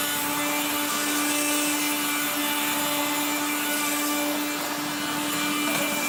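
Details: 1970s blue Regina Electrikbroom 3-speed vacuum, just arrived, vacuuming a floor. The motor and fan are dry after someone washed it. A harsh rasping grind sits over a steady high motor hum that never smooths out: dry motor bearings.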